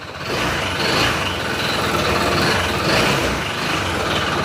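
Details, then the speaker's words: Honda PCX160 scooter at 126,434 km revved to full throttle; a harsh clattering knock rises and falls with acceleration, not from the pulley or transmission; diagnosed as a connecting rod knock needing an engine overhaul. "Okay. Sumasabay sa acceleration. Hindi po yan sa panggilid ha. Kasi iba 'yung tunog ng panggilid kapag once na sira ang pulley yan."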